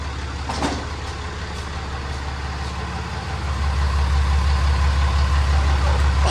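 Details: Ram with 6.7 Cummins diesel, over 680,000 miles, idling after an oil and filter change, no filter leaks: steady, even low diesel rumble with no knocks or misses; normal idle.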